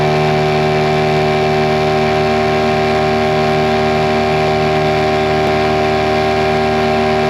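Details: Mercury 9.9 hp two-stroke short-shaft outboard, believed early 90s, revived after years sitting; carb and plugs upgraded. On a lake at top-end speed under load, a steady, high-pitched buzz holds evenly without surging or stalling; normal full-throttle running.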